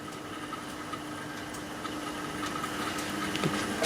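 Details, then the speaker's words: Australian WF Sangamo HMT watthour meter on test at 240 volts, drawing about 30 amps from a transformer rated 60 max; faint steady hum with a thin higher whine, louder than it should be, a noisy meter rotor; bearings to be checked. "so that's a 30 amp this meter oh listen to it I think that's noisy"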